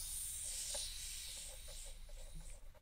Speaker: so here's the air tank let's see you can probably hear the the hissing noise